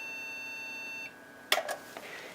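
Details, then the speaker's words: HP Pavilion a6110n AMD 64 desktop, tested with one 1 GB PC2-5300 memory module: one long steady beep for about a second, then only handling clicks. POST error beep code; the motherboard is dead. "Yeah. Still doesn't like it, so that motherboard is toast."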